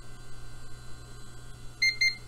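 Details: Dell desktop reassembled and powered on with the cover back on. Two short high-pitched beeps about a quarter second apart over steady fan hum: the POST chassis-intrusion warning that the cover was previously removed.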